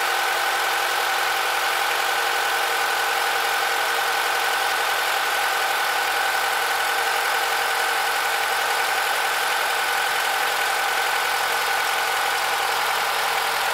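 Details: Honda K20Z2 engine at idle: a thin, uneven ticking hum in the upper range; an abnormal extra noise, cause unclear.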